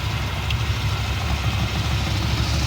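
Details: First-gen Dodge D150, AC compressor bypassed with V-belt idler pulley, idling: rhythmic low chuffing almost like a knock, from exhaust pulsing out a disconnected smog line port, not internal engine.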